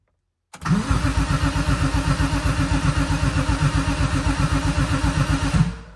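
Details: BMW E30 M3 with swapped S54 engine, first start attempt after fuel pump rewiring, suspected automatic-harness DME; steady starter cranking at about four compressions a second for five seconds, never catching.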